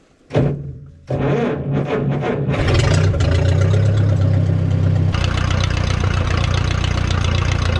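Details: 1957 Case 310 Terratrac loader, unrun for over 20 years, restarted after stalling. It idles with a loose, uneven, floppy low chug; they suspect low fuel pressure, though compression seems good.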